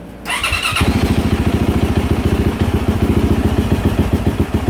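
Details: 2024 Yamaha YZ450F single-cylinder after water spout and coolant sensor replacement, app showing no diagnostic codes before and after start. Catches after a brief crank and settles into a steady, even thumping idle; healthy.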